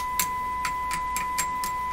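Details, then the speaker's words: Nordmende Caruso console radio during shortwave alignment: a steady test tone from the speaker with about seven taps in two seconds, each setting off a short crackly burst; an intermittent fault, sensitivity dropping after about three minutes of operation. "hear that in the speaker it should just just be a tappy sound there it goes again"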